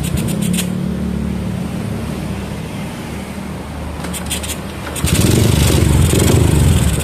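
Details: Yamaha Jupiter MX with PE28 carburetor after jet resetting for a hard-starting problem: engine catches, settles into an even steady idle and revs cleanly without stumbling; normal start and idle.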